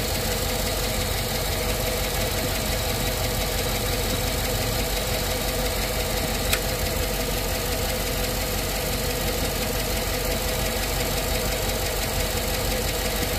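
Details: GM AFM V8 at idle, just after adding Prolube oil additive: light fast lifter ticking over steady idle that persists after a couple of minutes and from cold to warm; lifter tap.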